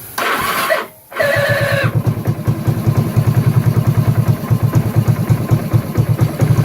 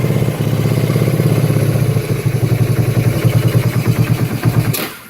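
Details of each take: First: 1984 Kawasaki Prairie KLT250 barn find, old fuel drained and fresh fuel added, jump pack at 12.6 V, no air filter: engine fires and idles unevenly with regular low pops, lean and popping back through the carburetor. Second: 1984 Kawasaki Prairie KLT250 barn-find ATV, not run in years, first start on a jump pack: even, steady thumping idle with no tick or knock until it shuts off; engine sounds healthy.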